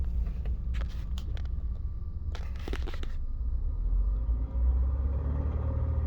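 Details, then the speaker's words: Subaru engine at warm idle after three short block swaps: steady low idle rumble with irregular sharp clicks in short clusters that come and go. Intermittent, source unknown; check engine light is a small evap leak, said to be unrelated. "Sometimes it's there, sometimes it's not."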